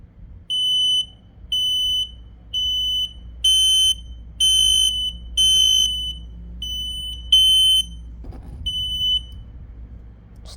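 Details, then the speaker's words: P12040 smoke alarm set off during a system test; high shrill beeps about once a second, several with a rough buzzy undertone, the horn growling unexpectedly, cause unknown. "The heck was that noise? The heck? Was this growling? I never knew it would growl."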